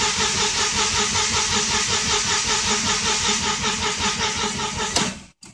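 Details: 2000 Audi B5 S4 after timing belt and valve cover gasket replacement: even starter cranking, about two to three beats a second, never catches, no codes. Crank-no-start from no compression on the passenger-side bank due to bent valves; fixed by replacing that head.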